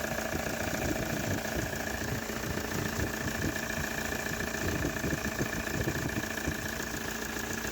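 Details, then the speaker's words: Toyota Hilux 3.0 diesel after the worn water pump, camshaft seal and accessory belt were replaced: an even, steady idle clatter with the radiator fan whirring and no knock or miss. A healthy idle. "bom então já está funcionando essa bruta e E aí o funcionando bonitinho é"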